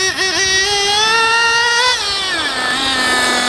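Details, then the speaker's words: JQ Products THERTR nitro engine during break-in, after closing the low-end needle another 1/8 turn and lowering idle: high, buzzy note climbs quickly and cleanly, then settles back without hesitation or bogging; low-end correctly tuned. "so now it's going to accelerate even faster [Music] again and that's just about right"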